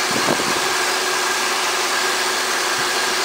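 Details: 1998 Oldsmobile LSS, supercharged 3800 Series 2 V6 with an Eaton M90 Roots blower, after fixing a clunking harmonic balancer once mistaken for engine knock: steady, even idle with a smooth whir over the engine hum and no clunk or knock; runs fine.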